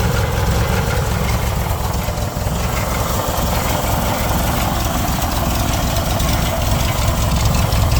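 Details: 1969 Baja Bug at idle: a loose, uneven rattle at about two or three beats a second riding on the low thrum, source not yet pinned down; engine rattle at idle.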